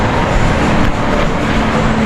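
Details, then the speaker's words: Ford Ranger driving after a ball joint replacement fixed a front suspension noise: only steady road and engine hum with no clunks or knocks; the noise is gone. "Ayos na. Ayun, wala nang ingay mga boss. Okay na."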